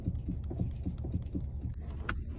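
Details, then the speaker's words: 2013 Kia Ceed: dull uneven thumps about three to four a second from the steering column; electric power steering, suspected broken rubber coupling insert rather than whole unit replacement. "работал поступила машина Kia Ceed 2013 года пробег вот он вот такой стук у него"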